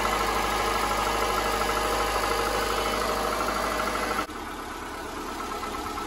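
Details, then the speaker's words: 2005 Subaru Impreza 2.5 non-turbo boxer on cold startup after sitting for days, mic near engine centre: steady hollow knock about three a second, suspected piston slap, said to quiet when warm. "so if your car sounds like that it is piston slap"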